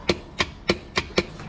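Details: Warn V4000 winch on a Kawasaki Mule Pro FX, key on, battery good: five sharp solenoid clicks with no motor spin. Power and switch signal reach the solenoid; a replacement Warn solenoid is listed as the fix.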